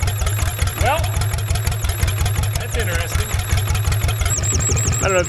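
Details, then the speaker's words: 1960s Caterpillar pony engine running: small single engine chugging steadily with a thin intermittent squeak at the carburetor connection, air sucking past the carburetor gasket; it would not choke out because of the leak. "know if you guys can hear it there's a squeaky sound coming from right up here where my fingers are at at the carburetor connection"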